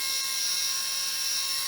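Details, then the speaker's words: Fronius solar inverter cooling fan at full speed: a steady high whine with an airy hiss. Debris blocking the fan is suspected, not confirmed. Noisy cooling fan. "But so what can happen is debris can fall down here and get stuck in there and end up through the fan and be causing it to be noisy like that, or causing it to stop altogether."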